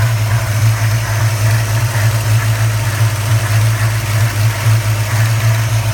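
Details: 1994 Chevrolet Caprice LT1 V8, sound from under the hood: steady idle with a soft, pulsing whooshing/rubbing noise over the deep hum; source not yet identified. Whooshing rubbing noise at idle.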